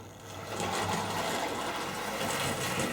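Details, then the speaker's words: Old Tri-ang TransContinental Pacific model loco, probably a very early one, on a short straight section of track: light, even whirr building then holding steady, no stalls or stutters; runs remarkably well at very slow speed. "just there just that little section it's incredible how how well she runs look how slow she runs so well"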